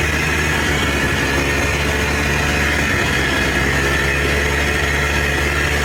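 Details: Polaris Trail Boss 250 4x4 ATV rescued from the scrap yard, previously wouldn't fire on spray; now starts after choke and throttle, steady even two-stroke buzz with no misses, knocks or surging; runs and drives normally.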